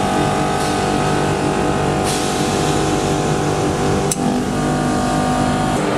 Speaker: the tone of the compressor is clearly changing immediately after each solenoid switching operation